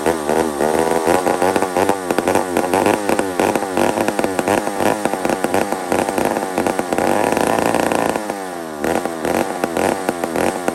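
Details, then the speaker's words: Old McCulloch 1-71 chainsaw after a carburetor upgrade: runs high and races with a sharp, surging buzz that won't settle, leaning out; owner sees a huge vacuum leak at the intake gasket. "very interesting so i've got a huge vacuum leak right here i saw it i actually saw it foobaring me"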